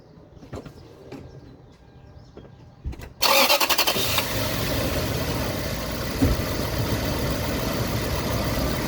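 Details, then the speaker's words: 2001 Toyota Sequoia with the 4.7 V8, just after replacing a bad coil-on-plug ignition coil: the starter cranks and the engine catches into a steady idle with no stumble or misfire. It runs healthy after the repair. "Okay, so remember, this one is actually a good coil. So listen, boom, boom, boom, hitting, hitting, hitting."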